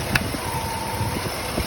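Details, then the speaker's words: 2006 Ford Explorer with intermittent battery light and service charging system warning, engine idling: faint thin whine over idle that goes away when the alternator plug is clicked in and out; internal alternator fault suspected, perhaps regulator or circuit board, replacement warranted. "you can hear that alternator. Just click that plug in and out. You can hear it engage. See if it goes away."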